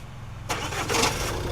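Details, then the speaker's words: Jeep Compass diesel with hardened clutch, at start: starter whirr, then a hard clunk as it fires at the peak point and settles to idle; noise attributed mainly to the flywheel, to be modified with transmission removed. "तो, यह जो sound आता है, यह आता है mainly fly wheel से।"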